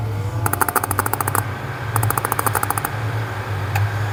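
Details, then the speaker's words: Epson S31 projector showing lamp error, no air filter and heavily dirty cooling section: rapid clicking bursts about ten per second over a steady fan hum; noise probably from the lamp, not confirmed. "esse aqui que nós vamos falar hoje é um s31 tá fazendo um barulho"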